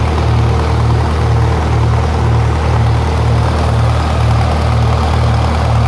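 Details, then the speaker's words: 1948 Lincoln SA-200 welder engine, long unused and revived with little work, now with a short stack with resonator pipe: a low, steady, quiet idle with an even pulse about twice a second and no knocks, ticks or hunting. Normal idle. "it's got a short stack with a resonator pipette which I will say it's it's actually pretty quiet"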